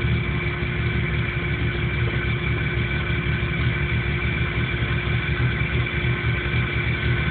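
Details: 1997 Jeep Cherokee with no trouble codes that won't idle right and dies under power; idle pulses unevenly, with loose, irregular low thumps and no steady beat. Rough idle, cause not yet known.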